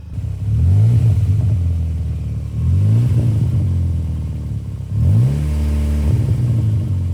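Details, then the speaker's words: Hot Mk4 Golf GTI 1.8T, three throttle blips with a deep exhaust rasp and rattle; the noise seems to come from inside the resonator rather than further up as first suspected; source not confirmed. "nd hot, and you can hear it from the resonator now. Doesn't sound like it's coming from up here like I thought it was. It's almost coming from in here, inside the resonator."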